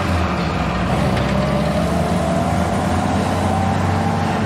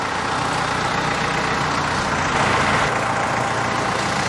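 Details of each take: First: Jeep on its rebuilt original Carter WO carburetor: low, lumpy idle that sags and nearly dies near the end; owner thinks idle speed needs raising a hair. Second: Jeep with its original Carter WO carburetor freshly rebuilt and installed, engine running after first start: even, steady low rumble with no stumbles or hunting, a settled healthy idle again.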